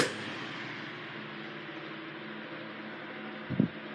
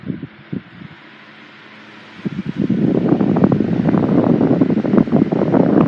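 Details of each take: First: 1980s Sanyo EF709R 9-inch oscillating fan, 40 W, C-frame motor freshly oiled, oscillator regreased, on oscillation: smooth steady motor hum, no grinding or rattle, one soft bump; normal oscillating operation. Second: 1980s Sanyo 9-inch oscillating fan model EF709R, 40 W 120 V C-frame motor, freshly oiled, on high speed: steady whoosh with light uneven rattle from fan vibration resonating through the base, not the motor.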